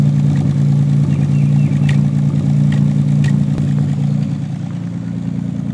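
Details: 1990 Nissan 300ZX about a minute after start: low idle rumble with an occasional stumble, heard through the exhaust on the driver side only. The suspect is the #4 injector (a used replacement); the owner first suspected an O2 sensor, as it worsens when warm.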